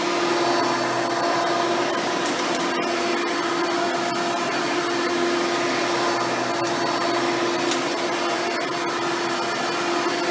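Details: Hoover Spectrum (Elite-style upright vacuum) run after installing a new belt and brushroll: steady motor hum with constant brush whirr, no slapping, squeal or rubbing; runs properly.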